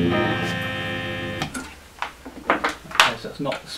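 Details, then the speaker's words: Fender Blues Junior tube amp with highly distorted output before repair, new valves already fitted: a guitar chord comes through harsh and fuzzy and bass notes buzz and crackle; the distortion persists on a house speaker, so the speaker is ruled out. "okay so bass notes horrible distortion okay that sounds really nasty"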